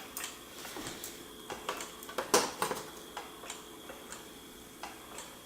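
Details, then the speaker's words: Fisher-Price Cradle'n'Swing after the startup-grinding fix and reassembly, with the motor speed sensor wires reconnected: light, fairly quiet ticking with no grinding. The motor runs smoothly and is much quieter than before. "so turning it on well not super quiet but it's not that loud anymore"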